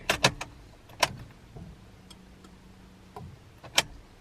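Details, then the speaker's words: 1997 Honda Prelude BB6, H22A engine, M2B4 transmission, crank-no-start, key on: sharp relay clicks then soft steady pump hum about 1.5 seconds; normal fuel pump prime and main relay click, so fault points to spark. "hear the fuel pump there it is is definitely firing and I hear the main really kicking off as well"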